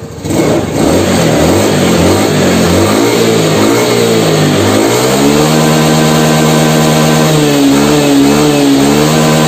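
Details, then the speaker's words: Honda Beat FI scooter after fix for top-end power loss (throttle position sensor limited with a hose instead of replacement): engine revs cleanly, holds a strong steady high note without bogging; pulls well at high rpm. "e-cash Udah jos nggak perlu ganti t-cash soale masih bisa diperbaiki"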